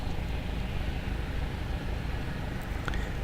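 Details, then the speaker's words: Propair Falke SF25B engine just started, choke on, held at 1500 RPM for warm-up on a hot summer day, oil temperature slowly rising toward 40 °C: steady low drone, even firing beat; normal warm-up idle. "For the engine heating, try to find the position for 1500 RPM. And now we just have to wait a bit."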